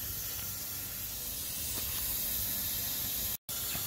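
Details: RV San-T-Flush black-tank flush system tested after troubleshooting a no-flush fault: a steady, even hiss of water spraying into the tank with no sputter or choking. Normal flush water flow.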